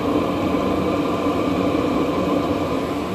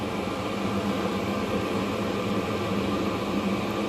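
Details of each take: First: 5 kW Chinese diesel heater on high, diesel used up, now burning shale light distillate and vegetable oil mix (about 70% vegetable oil): constant low rumble and roar, not slowing; no smoke. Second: 5 kW Chinese diesel heater on high, running on shale light distillate and vegetable oil mix (about 70% vegetable oil): smooth, even roar with steady fan hiss, no pulsing or popping; burning cleanly, no smoke.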